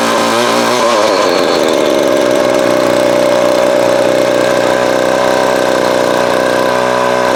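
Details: Vintage Craftsman 22.2cc 14-inch two-stroke string trimmer, estimated early-to-mid 1980s, original spark plug and fuel filter, fuel line replaced and carb cleaned; catches after a couple of pulls, settles into steady even buzz, no misses or surging; healthy.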